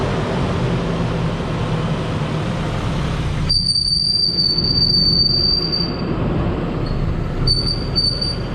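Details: 1990 Nissan D21 truck driven slowly a few feet down a driveway before repair: a thin, high-pitched squeal cuts in and out over low road rumble from a worn-out center carrier bearing; the whole drive shaft assembly was then replaced.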